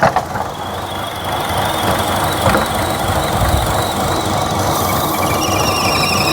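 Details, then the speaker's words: 2014 Buick Encore 1.4L turbo with lean code P0171, rough uneven idle with a thin high-pitched squeal; crankcase ventilation fault builds excessive crankcase vacuum, sucking air past the rear or front crank seal. "so it's got a problem with this crank case ventilation system you see how much vacuum it's building in the crank case that's air sucking past the rear seal or the front seal"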